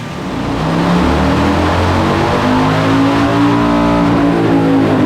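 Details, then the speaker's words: 2007 Harley-Davidson Heritage Softail V-twin under load after an ECU flash and dyno tune, a new fuel pump, a replaced fuel pressure regulator and a heavy breather, fixing a lean condition: it pulls cleanly and evenly with rising pitch and no popping. Runs normally. "it's so smooth and nice to to ride now it's it's actually a different motorcycle"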